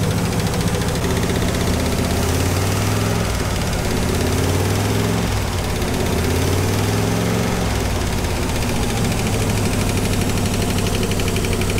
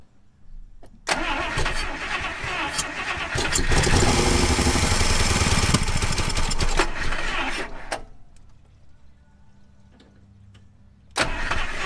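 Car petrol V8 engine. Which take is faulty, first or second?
second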